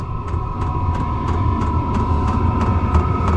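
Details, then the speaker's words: Diesel heater in a DIY RV with external top-feed tank, running a few minutes with the RV at 17°, no leaks; crisp even dosing pump ticks about three a second over a steady fan tone, the commonly discussed clicking: normal fuel pump clicking. "Pump's making a little bit of a clicking noise that everybody always talks about."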